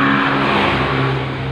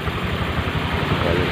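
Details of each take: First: Honda Vario 125 scooter with rough, noisy CVT; rough gravelly rumble with steady hum as rear wheel is turned by hand; worn driven (rear) pulley bearings, two to be replaced; front pulley still good. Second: Honda Vario 125 scooter CVT after replacing two bearings, including the pulley bearing: short steady run with even low hum, no rattle or grinding; previously rough, noisy CVT now smooth.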